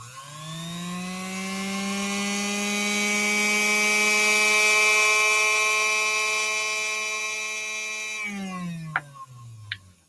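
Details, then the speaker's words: Second Featherweight sewing machine motor, given only a high-level service, tested for comparison: steady, even hum with a clean whine, then a smooth coast-down; spins at higher RPM but has slightly less power than the revived motor. "this one actually has a little bit less power than the one that we just brought back to life this one fires up at even a higher RPM and all we did was a high level service of it"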